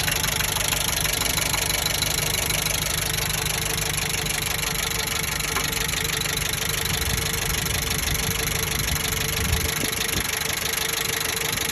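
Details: 1998 Jeep Wrangler TJ 2.5L 118hp, warm after ~15 min driving with oil pressure dropping: faint knock about three per second above 2000 rpm only at half throttle, silent at full or released throttle; cause unknown.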